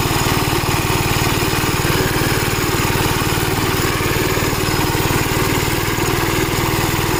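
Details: Gravely Model L tractor with governor, already run earlier, after its blown head gasket was replaced; single cylinder thumps at a steady, even two to three beats a second, governor holding speed. Runs healthy, though an oil leak remains to be found.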